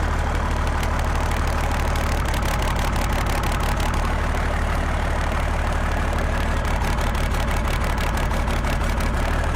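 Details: Cummins 6BT diesel swapped into a Jeep Wagoneer, first start after finishing fuel and cooling systems, a fuel return line leak still suspected: even, low-pitched idle with steady light injection clatter, no misses or heavy knocks; sounds healthy.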